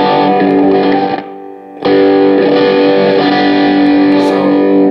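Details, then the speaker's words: Behringer GMX212 guitar amp under repair, with inherent noise: distorted chord drops almost to silence for about half a second then snaps back; intermittent signal cutting in and out, cause not confirmed. "listen when I strike a chord you hear that it's got its got the signal popping in"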